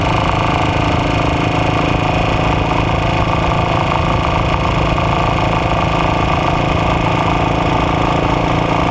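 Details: AJS Model 8 single running fast: a dense, steady metallic rapping about three a second over the exhaust beat, pointing to an internal engine knock.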